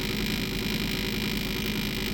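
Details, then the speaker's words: Ignition coil from a 1975 Yamaha DT400B two-stroke barn find, bench-tested on a battery-powered spark tester: fast, even crackling spark with no dropouts; coil fires consistently up to about 8 mm gap, so coil is good. "But that's showing me the coil is working perfectly."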